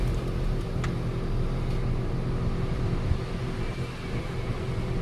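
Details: Final double-check idle of a Nissan Almera whose misfire came from a spark plug only a week old. A low, smooth idle hum with an even beat and no stumble or miss; the engine is idling cleanly.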